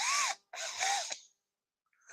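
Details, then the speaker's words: New Makita 12V cordless drill, two short trigger pulls: a clean, high motor whine rising and falling smoothly, quieter than a Milwaukee but with good torque, no grinding or rattle; normal cordless drill running. "it sounds wimpier but it doesn't feel it like when I Let Go it torqus so it's just quieter which again will be great for in the house"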